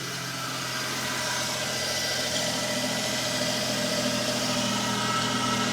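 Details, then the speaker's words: Small-engined car started on a jump pack after fuel system priming: small engine catches and settles to a steady even idle, no misses or knocks; normal idle. "There we go. There we go. That's the noise we love."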